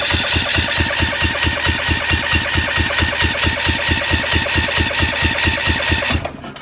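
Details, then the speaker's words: Kohler 18 hp Courage single-cylinder on Husqvarna zero-turn, cranking with fuel solenoid on: even chugging about five pulses a second for six seconds, never fires despite strong spark; exhaust valve guide popped up, holding valve open. "so it's almost like now it's it's feeling like the exhaust valve gets stuck open that's that's what I think is the issue right now"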